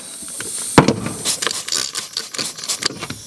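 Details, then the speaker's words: BMW E30 R134a air conditioning charged with about 40 psi of shop air, microphone held close: faint steady hiss of escaping air, a leak at the high pressure switch and gold adapter on the dryer, to be fixed with a new O-ring. "And even still right now, if you're careful and you listen carefully, you'll hear that there is air coming out of the system."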